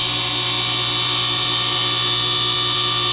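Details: DIY 10 HP rotary phase converter, push-button started, running unloaded with leg voltages reading high (about 280 and 260): steady electric hum with constant high whine, no speed change, rubbing or clatter; idler motor spinning freely and smoothly.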